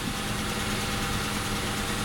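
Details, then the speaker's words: Before repair, engine idling, clutch pedal just touched: a faint whirring rough edge rides over the steady idle; release bearing (collarín) noise, fixed later by replacing the full clutch kit. "en este vídeo vamos a ver un problema muy común del embrague cuando lo pisas y te hace ruido es un tema no tiene por qué ser este auto de esta marca es muy común en los embrague"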